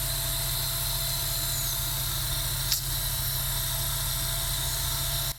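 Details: Sega Dreamcast GD-ROM drive with failing capacitors (slow loading, failing to read discs unless retried), disc inserted, tray closed: steady high whir at one constant speed, no seek clicks, drive has quit trying to read.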